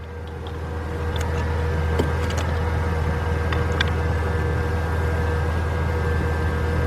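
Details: 1997 Mercedes-Benz E320, 119,000 miles, has fuel: even starter whirr with a steady cranking beat near four per second but the engine never catches; noid light shows no injector pulse during cranking; cranks, won't start.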